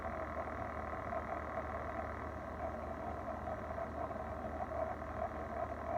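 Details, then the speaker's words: Electrolux refrigerator after seven service calls in six weeks and replacement of the fan and compressor: steady hum with light, uneven clicking that has returned; cause still unknown. "right mark second and our 73 pair call today thought we were done with a clicking noise but it's back again they've replaced the fan the compressor"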